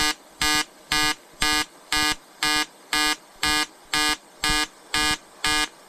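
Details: EWM Tetrix XQ 230 Puls AC/DC inverter TIG welding 5000-series aluminium lap joint: 2.4 mm lanthanated tungsten, 2 mm filler, 94 A pulsed (0.20 s pulse/0.30 s pause), 150 Hz rectangular AC. Crisp electric buzz pulsing on/off about twice a second, even timing; normal pulsed AC arc.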